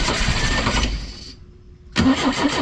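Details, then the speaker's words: Pinzgauer in neutral, cranking after fuel pump replacement, first start attempt in about 3 years: steady starter churning, a pause, cranking again with no catch; fuel filter still filling, not yet primed, though the pump works. "yeah filter's filling up so it's not quite uh it hasn't filled up enough to get"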